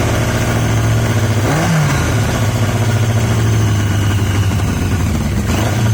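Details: Yamaha XJ750 four-cylinder motorcycle brought back to life: uneven, stumbling idle with a brief rev blip, running only on cylinders three and four; one and two not contributing despite spark on at least one.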